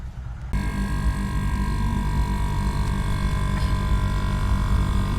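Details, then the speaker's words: Air conditioner that was not cooling, after connecting the run capacitor: the unit kicks on after a quiet moment and settles into a steady, even low hum with the fan whooshing; compressor and fan running normally. "ตอนนี้พัดลมหมุนนะครับเสียงคอมเพรสเซอร์ทำงานนะครับตอนนี้พัดลมหมุนเสียงทำงานนะครับครับตอนนี้เสียงคอมเพรสเซอร์ทำงานสม่ำเสมอนะครับถือว่าโอเคนะครับ"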